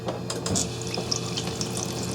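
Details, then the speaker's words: GE dishwasher started on a normal cycle to check the water inlet valve (solenoid coil 32 ohms): steady rush of water pouring into the tub with a few splashes and drips; the inlet valve is filling normally. "okay 47 46 that looks good to me I can hear the um I can hear the water going in so that all looks good"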